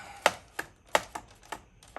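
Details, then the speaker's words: iRobot Roomba 690 (owner unsure, maybe 695) robot vacuum, customer complained of loud squealing; brush gearbox after cleaning and WD-40, rocked by hand. Six sharp, irregular clicks in two seconds; gearbox backlash clatter, gear set most likely stripped. "backlash oh yeah more than likely that gear set stripped oh my bomber want a bummer what a bummer bummer bummer"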